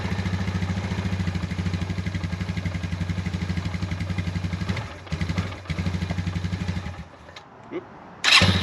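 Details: Suzuki Ozark 250 ATV after carburetor replacement, oil change (10W40) and tune-up: single-cylinder fires up on choke and settles into an even, steady beat before cutting out; sounds healthy.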